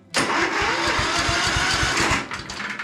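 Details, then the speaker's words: Ride-on lawn tractor (estate car), no mower deck, cranking while holding brake switch and key: starter churns at about four compression pulses a second for over two seconds but never catches; cranks, no start, spark now seen, faulty brake switch connector suspected. "so then I tried to started uh-oh still nothing oh then I remembered you have to have the brake pushed in"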